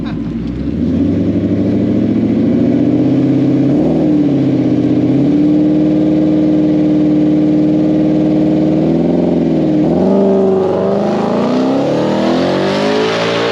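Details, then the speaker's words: Blue car on an aborted drag pass: the engine climbs fast, then holds flat with a choppy stutter until the throttle lifts. Shift points are commanded too late, so it hits the rev limiter without upshifting; it shifts on lift and carries on fine. "the car is the shift points are being commanded too late and it hits the rev limiter and won't shift when he lets off the gas it goes into the next gear"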